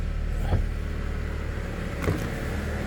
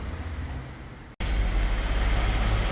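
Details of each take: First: 2017 Honda HR-V 1.8 at its 120,000 km service, started cold: even idle with light, regular ticking near four per second that appears in gear, builds under load and stops in neutral. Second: 2017 Honda HR-V 1.8 at its 120,000 service, cold engine after replacing a noisy, leaking belt tensioner and the drive belt: steady, even low rumble with no squeal or chirp; clean normal idle.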